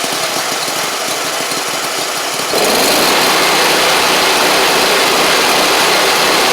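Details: Gravely 260Z mower with a Kohler engine that had been dying, only running with the key held in start, now restarted after eliminating the DSAI module; catches and settles into a loud, steady, even run with no misses, perhaps a tad rich.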